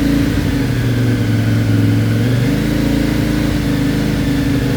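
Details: CFMOTO Ibex 450 warmed up to 180, held at 3500-4000 RPM with cruise control before the Team MSC ECU tune: engine pitch drops and jumps unevenly, surging and jerking between 3500 and 5500 RPM.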